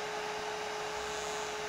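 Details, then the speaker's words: DLP rear-projection TV mercury lamp running: constant mid-pitched electrical buzz at one unchanging pitch from the lamp, source unconfirmed. "H it's buzzing the light must be uh"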